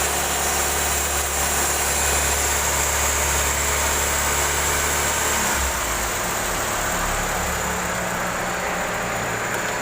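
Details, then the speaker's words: Toyota Corolla fitted with a Toyota Avanza Veloz AC compressor, engine idling with the AC on. Steady hiss and hum, no grinding, knocking or squeal; pressure 20 to 25, compressor healthy. "Tekanannya 20 sampai 25. Tekanannya bagus, kompresinya mantap."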